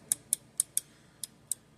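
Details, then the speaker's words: Joystick from a 1UP desktop Pac-Man arcade machine. Seven crisp, sharp clicks at uneven intervals as each of the four microswitch tabs is pressed; all tabs click, so the switches work properly. "and actually all the tabs clicked on that one the other bad joysticks that I had a tab wouldn't click and you would be able to hear it"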